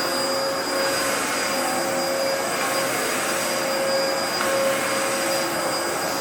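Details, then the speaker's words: 2004 Dyson DC14 Animal vacuum, repaired, first run with new HEPA filter: steady even motor roar with faint high whine, no surging or rattles; running normally. "I fixed it up and it works pretty well so you know why don't we take it for a bit of a test run and we'll see how it runs"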